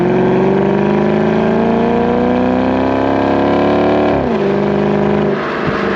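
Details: 2007 Dodge Magnum SRT8 V8, warm at about 206°F coolant on a hot, roughly 100°F day, recorded with a GoPro at the rear by the exhaust. A strong, steady burble climbs smoothly through a long rev, then drops cleanly back to idle; a healthy exhaust.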